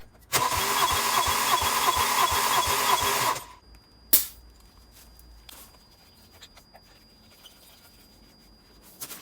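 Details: Rebuilt Opel Astra GSI Z20LET engine with good oil pressure to the turbo, first cranking before start: even cranking at roughly three beats per second for about three seconds with a strong starter whirr; compression later measured 11 bar on all four cylinders; normal.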